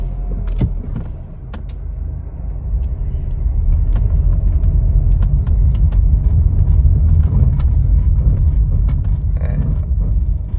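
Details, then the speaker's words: Car driving with brake pedal feel complaint and ABS/ESP warning lights: low road rumble with pulsing scrape about three times a second while braking, like ABS pumping; faulty rear-left wheel speed sensor confirmed by live data and oscilloscope, replaced. "I think you can, hope you can hear that. It's almost like a scrape. It's almost like the ABS pumping."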